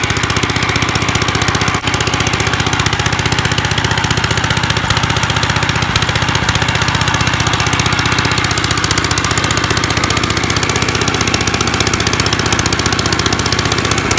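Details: 1955 Gravely Model L tractor, running about half-choked; a loud, harsh, unmuffled bark about three beats a second because the exhaust pipe is broken off at the port threads.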